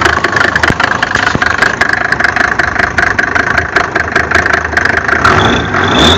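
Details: Mercedes OM605 diesel idling: sharp, uneven knock over the clatter, roughly one to two a second; engine knocking, cause unknown.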